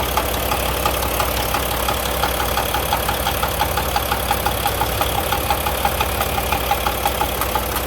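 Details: Volvo D13 semi-truck diesel at idle with a loud, sharp knock from the head, about three a second, caused by a seized rocker roller with a flat spot and a worn cam lobe.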